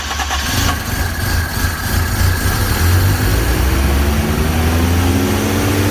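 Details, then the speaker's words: Toyota KE10 Corolla first run at about 2000 rpm for 10–15 minutes: steady fast idle with a sharp ticking puff riding on the exhaust note. Exhaust leak, which sounds like it is at the front, where the extractors meet the cylinder head. "so another thing we found on the running is that we have an exhaust leak so it sounds like it's coming from the front so where the extractors and the head meet"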